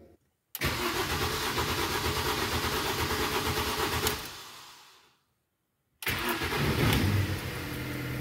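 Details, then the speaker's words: Mini petrol car with recurring hard cold starting, cause still unknown despite tests: cranks several seconds without catching and winds down, then starts on the second try; owner suspects a cold-related problem or a failing part. "a pas démarré du premier coup et ça m'a fait un peu peur je me suis demandé siil y a une pièce qui était pas en train de lâcher"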